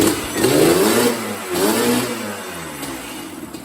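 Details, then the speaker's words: 1986 Yamaha Banshee two-stroke, rebuilt elsewhere, lacking full power: two quick blips rise and fall without reaching a crisp high rev; idles fine but starved up top, traced to a loose carburetor main jet fallen into the bowl. "Yeah, man, the bike, as you can see, it idle, but it's just not getting that full, hitting its full RPM, man."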